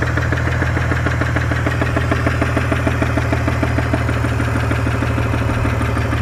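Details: 2002 BMW 330i E46 M54: smooth idle with a light, fast, uneven knock about three per second, began as ticking then grew louder; seems from rear between transmission and engine, cause unknown, owner plans to drop oil pan.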